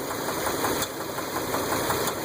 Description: Engine knock and ticking noise V10 8.0L 2001 Dodge Ram. For some reason these engines may have a problem with rocker arm bolts breaking, setting the pushrod free